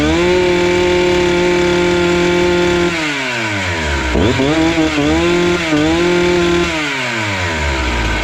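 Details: Husqvarna 268 two-stroke chainsaw, which stalled once warm and would not restart, test-cutting wood after air intake check: a strong steady howl that sags as it bites, then picks straight back up without stalling. Normal.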